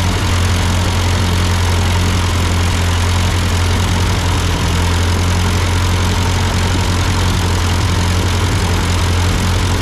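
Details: Ford 8N tractor idling after an amateur carburetor adjustment. Uphill sputtering had been traced to a cheap Chinese replacement carb; an old Marvel-Schebler ran fine. Deep, steady, even idle with no misses or surging; sounds good, a normal idle.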